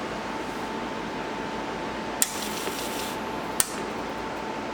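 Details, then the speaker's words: Leading Edge Model D PC, hard drive spindle just freed from stiction, first power-up: a steady thin whine over hiss with two sharp clicks and no front light. The drive spins up but strains; a major problem is suspected, cause unclear. "I don't like that noise at all I have no light on the front I think that's the floppy drive"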